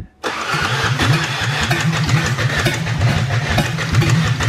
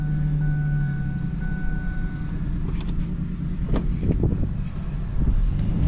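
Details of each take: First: 2004 Ford Ranger Tremor, suspected water in engine, plugs pulled and cranked earlier, fuel tank drilled: starter turns the engine at an even, steady rhythm for seconds but it never catches; crank no start, no fuel. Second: 2004 Ford Ranger Tremor after AC compressor replacement, driving: steady low drone with no knocks, clunks or whines; normal healthy running.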